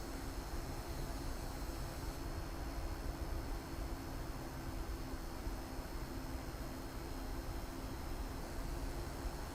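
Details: be quiet! Dark Rock Elite CPU air cooler under 3DMark stress load: soft, even whoosh of air with a faint steady hum and no rattle or ticking; normal fan noise under load.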